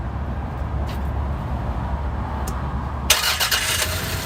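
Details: 1995 Toyota Camry started after replacing the oil pump gasket, fixing a mystery oil leak that began after timing belt replacement; it catches and settles into a steady even idle with no knocks or misses, healthy.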